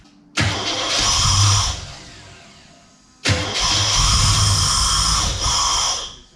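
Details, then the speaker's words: Holden VN Commodore, sat for years, ran poorly before parking, wiring faults: fires and revs on throttle briefly, then sags and dies, won't idle; throttle position sensor and MAP sensor thought to lack their 5 V reference from the computer. "I think I've worked it out the the throttle position sensor and the map sensor both need five volts coming at the computer"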